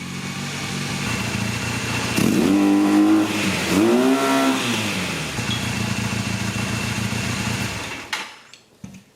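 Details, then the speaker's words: 1982 Honda Nighthawk 450 parallel twin, first start in over eight years after carb cleaning: even, steady beat with two clean throttle blips, smooth and quiet, no ticking or knocking, no smoke; normal running. "it runs smooth quiet no noises i don't hear any ticking no smoke"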